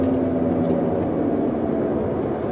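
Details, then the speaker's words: BMW E91, about 176–178,000 km, driving, camera on centre console armrest: steady low drone with humming tone over road rumble; owner suspects rear differential bearing, else wheel bearing; differential later replaced. "qui pour moi est un bruit de roulement de pont, je l'espère, parce que sinon, si je change le pont et qu'il y a toujours ce bruit, eh ben ça voudra dire que c'est un roulement de roue"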